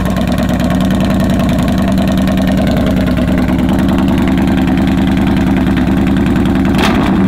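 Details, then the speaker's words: 2015 Yamaha Bolt R-Spec V-twin at idle with exhaust baffles removed, ridden this way for weeks and prone to stalling: very loud, deep, uneven raspy booming exhaust, grotesquely loud, before fitting Vance & Hines baffles. "He's been riding around with this for a couple weeks now, and it is grotesquely loud."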